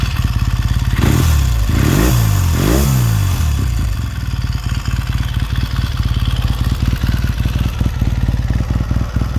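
Three quick throttle blips rise and fall cleanly, then it settles into a steady, even twin idle with a firm low thump: healthy engine.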